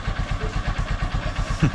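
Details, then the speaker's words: Honda Supremo motorcycle, formerly hard starting in the morning, after an adjustment screw was turned clockwise: kick-starts without choke or throttle and idles with small even thumps about eight a second, no misses; normal idle. "So nakita niyo na kahit hindi natin gamitin yung choke at yung accelerator ay umandar siya at diyan mo makikita mga kabarkada na hindi siya hard starting"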